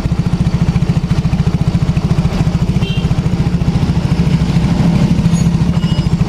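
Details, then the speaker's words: Yamaha X-Ride scooter idle pulsing unevenly at three to four beats a second with a lumpy, hunting rhythm; weak power, torn air filter; clogged fuel injector starving the engine. "dari suara mesinnya ini ngebanting ya suara mesinnya ngebanting pokoknya saat posisi Tensioner dia tidak normal ya"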